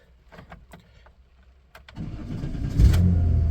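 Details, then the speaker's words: 1993 Dodge Caravan, after a blown head gasket was fixed: cold start with brief quiet cranking, then it fires right up and settles into a steady, even idle. No smoke from the exhaust; healthy. "Fires right up. Sounds good. Awesome. No smoke out the back. None. None whatsoever."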